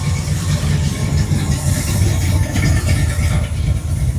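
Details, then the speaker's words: Old truck rolling past at a Mendenhall, MS cruise-in: a deep, even, low rumble with no knocks or misses over crowd noise. The engine is running normally. "Whole thing sounds good. It does."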